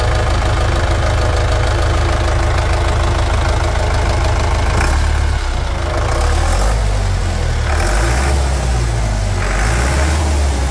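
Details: 1991 Chevrolet D20 with a freshly assembled Maxion S4T Plus diesel, after tank cleaning and service: deep, steady clatter settling into an even idle with no misses or knocks; healthy.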